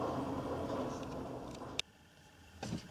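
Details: VAZ 2101 engine, warm, after the rod and main bearings were replaced (worn with clearance); the earlier dull knock on revving and when warm, which stayed after a camshaft swap, is gone; it revs evenly and runs normally.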